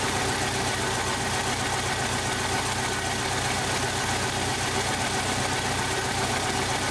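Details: 1995 Jeep Wrangler YJ 2.5L four-cylinder at idle, running rough; cylinder one has a blown head gasket seal with about 70 psi compression; idle stumbles unevenly with a pulsing puff and misfire beat.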